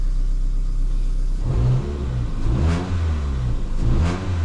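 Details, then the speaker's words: Ford Fiesta 1.25 Zetec petrol with a misfire, new spark plugs, coil pack and HT leads on hand: even idle and two clean throttle blips with no stumble or misfire. "oh listen to that I think by the sounds of it we sorted it"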